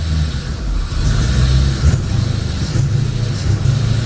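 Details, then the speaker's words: 1985 Chevrolet Corvette C4, sat about 2–2.5 years, running with the air intake removed after shifting forward and back: revs rise briefly, then bog and stumble; it won't rev. The owner suspects the intake needs to be back on. "she doesn't want to rev at all i'm thinking it's the uh there we go she's not happy"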